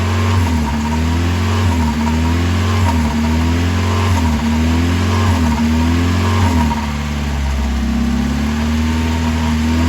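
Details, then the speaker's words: 1990 Mazda Miata, running: idle climbs and drops repeatedly, roughly every second and a half, never settling; idling high and surging constantly, also while driving. "It's idling really high and it's fluctuating up and down, so it's revving all the time."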